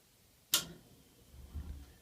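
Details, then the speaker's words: AFCO gravity-feed gas furnace from about 1948–53: one sharp gas valve click, then a soft low rumble as the burner lights. Normal ignition. "that was it kicking on just now I was hoping it would do that for you guys that gas valve click is pretty much all you hear up in the house when it kicks on"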